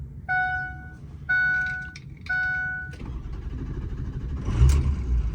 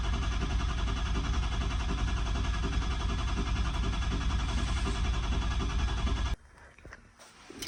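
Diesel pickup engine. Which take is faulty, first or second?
second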